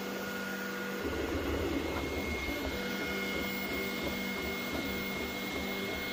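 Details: Creality Ender 3 V3 Plus 3D printer while printing: steady fan hiss with uneven grinding chatter from the moving axes; source not pinned down.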